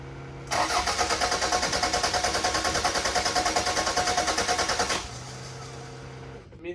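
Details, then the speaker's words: Toyota Celica, possibly cold, fuel gauge shows fuel: even rapid cranking, about three pulses a second for four seconds, never fires; owner suspects a bad fuel pump behind the seat, not heard or felt priming. "all right so the fuel pump is bad i didn't hear it turning on i didn't feel it turning on and it's like right behind the seat"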